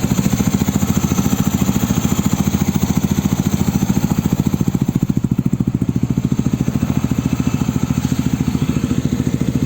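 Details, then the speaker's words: Yamaha NMAX bored up to 180cc with a 34mm throttle body, after readjusting valve clearance that had been too loose and caused the earlier noise: a steady, even single-cylinder thump at idle with no ticking or rattling, a quiet, healthy valvetrain. "Jadi kalian udah lihat kan tadi tuh di video sebelumnya klepnya disetel lagi dan ya udah hasilnya seperti ini nih pas dinyalain, nggak ada bunyi-bunyian, mantap."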